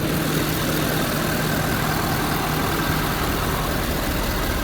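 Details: 5.0L after shop repair for oil consumption, started with key fob, owner suspects something doesn't sound right: steady, even low rumble at idle with no knocks or misses; normal idle.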